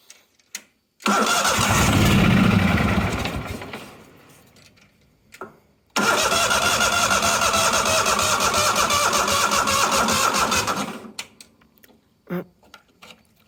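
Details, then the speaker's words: Neglected 1998 Yazoo YTKC22 three-wheel mower being cranked on a 12-amp charger after repairs; two long crank attempts, the first fading as the starter slows, the second grinding on without catching; the battery is drained. "we managed to suck all the power out of the battery already so yeah the batter's oh yeah the battery is hella"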